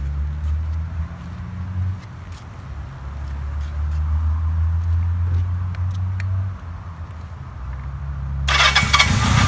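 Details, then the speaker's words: 1980 Kawasaki KZ650 revived after nearly 30 years stored apart, with Mac pipe header and rebuilt shocks: the four idles steadily and picks up cleanly on a few blips, smooth even firing with no misses or knocks; runs good, no leaks or smoke. "Runs good, doesn't leak, doesn't smoke, and I'm going to take her up the driveway here in a second."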